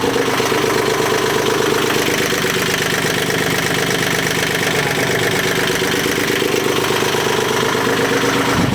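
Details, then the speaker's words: Almost 40-year-old Yanmar 3GM30 marine diesel in a 1986 Contrast 36 sailboat, after head removal, valve lapping and adjustment, injector cleaning, new gaskets and fuel bleeding; running after first restart; steady, even diesel clatter, no misses; runs well. "But it's so satisfying to be able to pull this through, and it runs like a charm."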